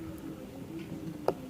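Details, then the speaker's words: Fiat Polonez gearbox: a sharp single click over a faint hum as the gears turn slowly, from a chipped gear tooth catching in mesh. The knock began at -30° on releasing the clutch and was first suspected as the input shaft bearing. "так но был в коробке стук как будто подшипник первичного вала в интернете пишут вот вскрыли feat овская коробка обнаружили здесь скол зулуса щас вот думаю видно скол зубца получается когда он входит в зацепление она об и упёрлась думаю слышно"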